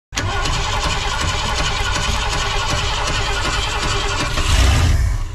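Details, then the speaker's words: Long-abandoned Ford graveyard revival (7.3 IDI diesel or 300 six) after cranking and a possible fuel pump issue. The engine catches and settles into a steady, even low rumble with no knocks or misfires. "that sounds good isn't it"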